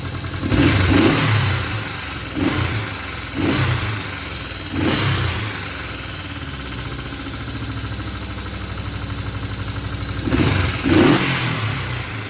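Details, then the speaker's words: 1972 Honda CL350 twin after carburetor idle adjustment: five or six sharp throttle blips, each rising cleanly and dropping straight back to a steady 1100 rpm idle. Finding: normal, crisp throttle response. "I feel pretty good about that. Right back down there at 1100. I'd say that's a winner, guys."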